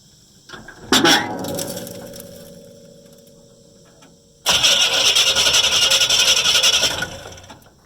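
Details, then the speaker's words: 1972 Chevrolet C20 that sat about 18 years, first engine turned over by hand, then cranked on a battery with its terminals reversed from what was needed; the starter spins briskly and evenly with no binding, sounding as it always did. "wow that was pretty cool it just turned right over no problem at all and it even sounds like it used to when Dad would start it it doesn't sound any different at all"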